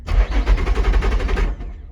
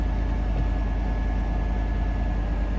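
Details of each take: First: Salvage-auction car, supposedly supercharged, push-button start: starter spins the engine over rapidly and evenly for about 1.5 s but it never catches; sounds healthy otherwise. Crank-no-start, cause unconfirmed (suspected crash fuel shut-off or something else). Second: Salvage-auction truck listed Trail Boss LT with Z71 badge, likely not started in a while: starts right up with some smoke, then a deep, even idle with no knocks, ticks or misses; sounds good overall.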